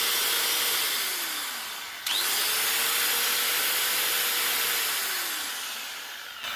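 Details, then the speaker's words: Old Makita N910 115mm (4.5-inch) angle grinder, roughly 1990s–early 2000s, after two new bearings and cleaning out dirt that blocked the slide switch: smooth, even high whirr spinning up and coasting down cleanly, no rattle; switch now works. Normal running. "a lot smoother, and the switch actually works."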